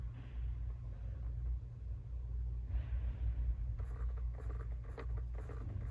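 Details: Jeep Wrangler JL: steady light clicking about twice a second from behind the passenger glove box over a quiet cabin rumble, attributed to a failing blend door actuator.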